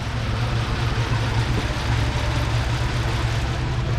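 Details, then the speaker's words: 2009 Lincoln MKZ AWD, believed 3.7 L non-turbo, codes P0201 and P0204 (injector circuits 1 and 4) with misfire; power balance test flags cylinders 1 and 4: low, heavy, lumpy idle, cylinder dropping out; injector suspected, not confirmed. "So we have P0201, P0204, injector fault 1 and 4, and we have misfire also."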